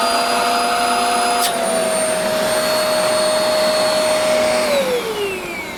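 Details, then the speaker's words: Shark vacuum cleaner after clearing a plugged hose: steady high motor whine with strong airflow rush, even until spin-down; suction restored and healthy. "difference now we got vacuum make sure this is not plugged up put us back on there"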